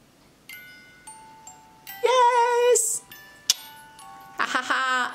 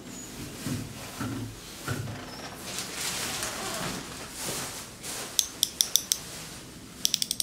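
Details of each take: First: Overwound music box after oiling and cleaning: clear, bright plucked notes ring out evenly with no dragging or stalling. It plays properly, though the gears are still slightly stiff and need more running. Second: Overwound music box after oiling: ratcheting winding clicks, then short bursts of plucked notes that die out; movement stalls and won't start on its own.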